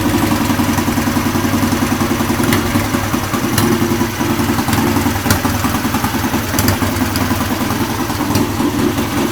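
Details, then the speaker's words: Restored Triumph Bonneville, warm engine: even, steady idle with a firm regular exhaust beat, no knocks or misses, nothing strange from the pipes; engine runs clean and healthy. "that's what it sounds like when it's running. What do you think?"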